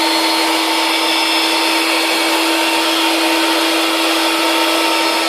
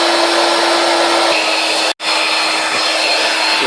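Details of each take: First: Electric air bed pump repositioned with a gap at the valve after it had been pressed against it and running slow: a loud, steady, high whir with rushing air, no labouring; it now inflates normally. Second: Electric air bed pump pressed hard against the valve, blocking its intake from the inside: a loud, steady, high hum drones on, but little air gets in and inflation is slow; the fix is to leave a gap so air can enter.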